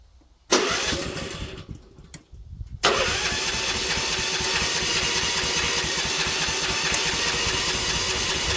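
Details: Manlift with electric choke, cold at 41°F morning, had failed to start: two short cranking bursts die, then a third catches after about three seconds and settles into a busy, steady idle; hard starting.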